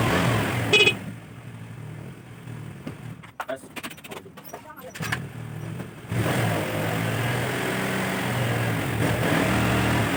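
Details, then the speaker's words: Carbureted Honda Vario scooter with weak battery, idling about 2 minutes to charge the battery; handling clicks, then a steady, even idle with no misfire, normal. "Ayo kita Nyalakan mesin ini selama kurang lebih 2 menit ya nanti untuk melakukan pengisian pada komponen baterai itu sendiri"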